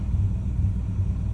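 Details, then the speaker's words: 2001 Dodge Dakota, 19,822 miles, with new serpentine belt, tensioner and idler pulley: low idle that surges and dips unevenly just after start-up. It happens cold or after sitting 10–60 minutes and is fine once warm. Idle air control valve suspected. "just a rough idle. And once it warms up, it's perfectly fine."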